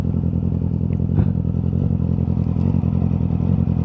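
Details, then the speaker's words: Yamaha R6 while riding: uneven, lumpy exhaust pulse with a stumbling beat instead of a smooth inline-four buzz; misfire, one cylinder not firing. "Mungkin suara mesinnya terdengar agak enggak enak gara-gara pincang satu ini."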